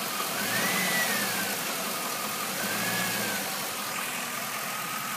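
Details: Stock 2002 Camaro Z28 LS1 V8 at idle: light, fairly even knock about three times a second over the steady idle; owner first thought a bearing, mechanics suggest a lifter; cause unconfirmed.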